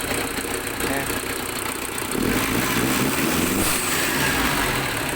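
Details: Diesel engine with hard-starting problem, after fuel filter replacement and wiring fix tied to starter: steady, even idle with no misses or knocks, constant rumble running on its own; sounds healthy.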